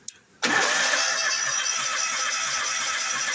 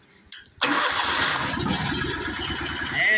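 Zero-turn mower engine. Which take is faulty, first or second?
first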